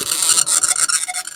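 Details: Commodore 1525 dot matrix printer (Vic-20/C64), long-stored and untested, running its built-in test mode after tractor-feed paper adjustment: loud rasping buzz in quick bursts as the head sweeps across the line; loud even with the noise cover; normal printing.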